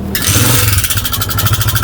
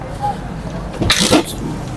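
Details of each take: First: Honda CG 125 single-cylinder motorcycle with no engine oil found, starting and running with loud rapid metallic clatter over the exhaust beat from inside the engine; worn push rods suspected. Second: Honda CG 125 single after a rebuild (no engine oil found earlier; rocker assembly tightened, oil added, tappets adjusted): catches after a couple of bursts and settles into an even, steady beat with no ticks or knocks, a healthy idle.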